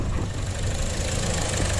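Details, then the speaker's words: 2015 Buick Encore 1.4L Ecotec with a rough idle and many check-engine codes: lumpy, uneven idle with a loose knocking beat under the drone while the intake is partly covered. Suspected fuel-related rather than a misfire, not confirmed. "I'm not kidding. Let go of it. I think it's fuel. I don't think it's a misfire, dude."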